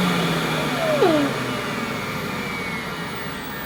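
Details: 1988 Hoover Compact Electronic S3462 1000 W cylinder vacuum at full suction, about 66 on a hose-end gauge: steady, even motor roar with no rattles or surging, easing off slightly; healthy normal running.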